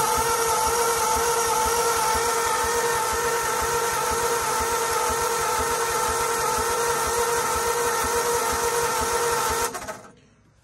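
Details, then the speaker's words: 1939 Ford 1.5-ton truck, flathead V8, parked 65 years after bad head gasket, water in oil pan, stuck valves: steady even cranking about three and a half beats a second with starter whine, plenty of compression but no firing; cranks, won't start. "seem like she's getting any fire so we have plenty of compression it seems like it just doesn't want to run"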